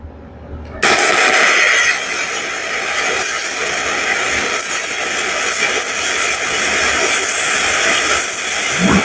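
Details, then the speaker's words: BestArc MIG 145 welder after swapping the polarity to the correct way to fix a slag issue: after a short lead-in, an even steady frying hiss with no popping or sputter. Smooth, stable welding arc. "that sound nice, huh?"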